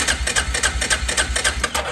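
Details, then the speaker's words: 2005 Arctic Cat 400 ATV after replacing the starter motor, battery connected: quick, even chugging as the engine turns over freely with no clicking; the new starter works. "you can now hear it turn over"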